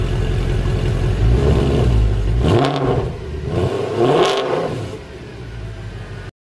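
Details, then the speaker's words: Mercedes W204 C63 AMG V8 with a new full exhaust (long-tube headers, sport cats, new mid and rear silencers), modified configuration: much louder, deep even rumble with two clean throttle blips, no drone, rattle or buzz; normal healthy exhaust note. "yeah not only is the new configuration quite a bit louder but it just sounds amazing there's this AMG sound that we all now know and love but it's just turned up to 11 really sweet"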